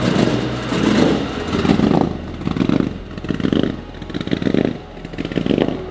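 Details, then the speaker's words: Supercharged BMW E92 M3 V8 with an unresolved fault; uneven surging idle rising and dipping about once a second with loose clatter, judged unhealthy; rough idle, cause not yet found. "she don't sound healthy it doesn't sound good does it"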